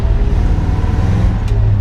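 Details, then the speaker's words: 1957 Chevy Bel Air automatic stuck in first, no upshift even when shifted manually; high strained drone as the car rolls. Owner suspects a vacuum line came off during re-plumbing, causing a vacuum leak. "no shifting yeah no shifting at all uh-uh stuck in first can we manually shift it to [Music] second no interesting stuck in first gear"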